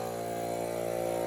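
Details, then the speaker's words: Vintage Craftsman air compressor, long unused and revived with a new capacitor, running nonstop with a steady buzzing drone and rapid even pulse; fairly worn out, no intake filter, and the pressure switch no longer shuts it off. "and so i was testing it and this thing is fairly wore out that's why it doesn't matter that it doesn't have a filter and it the switch doesn't shut it off anymore"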